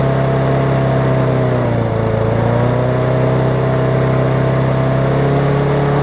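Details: Murray 20-inch 3.75 hp push mower, long dormant with freed stuck intake valve, first run, old oil: single-cylinder drone holding low, slightly wavering speed without picking up; runs too slow, governor arm was stiff.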